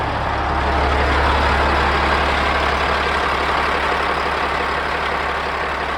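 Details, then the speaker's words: Caterpillar diesel in a haul truck, rebuilt with used liners, pistons and rings, fully warmed up after 2–3 hours of hauling: steady, smooth idle with an even low drone, no misfires or knocking, and only slight visible blowby. "So, just a tiny little bit of visible blowby there, but I'm more than happy with it. It's been running like a top. Hadn't missed a beat."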